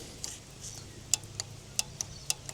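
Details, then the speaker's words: Old six-cylinder Perkins turbo diesel, engine not running, injector pump fuel cutoff solenoid powered up and unplugged: sharp irregular clicks in a quiet room as the solenoid snaps in and out; fuel shutoff solenoid clicking normally. "Going to hook up the power to the cutff switch on the injector pump. You can hear it's working."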